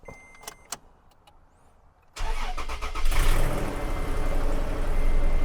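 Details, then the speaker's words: 2nd-gen Toyota Tacoma, 255k miles: engine cranks and catches, then idles roughly with an uneven lumpy beat about four pulses a second, shaking badly with blinking check engine light for misfire; dealer found no cause. "Shaking all over the place. Sounds like heck. I have a blinking check engine light right now for a misfire."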